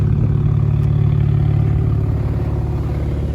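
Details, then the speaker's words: 2008 BMW 135i E88 N54 with fueling issues, first start after installing Precision Raceworks Stage 2 low-pressure fuel pump and Bosch fuel sensor: steady deep rumble, even pulses, no misfire or knock; fix of original problem unconfirmed. "All right, we did get it running off the first start. You can hear it."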